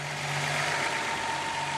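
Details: Datsun 280ZX idling after replacing charcoal canister, battery and terminals and tuning idle screw and BCDD; it used to hang near 2,000 rpm: smooth, even idle, steady low hum, faint constant whine, no hunting.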